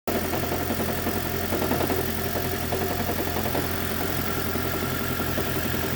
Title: Toyota prius 2010 engine knocking and rattling fixed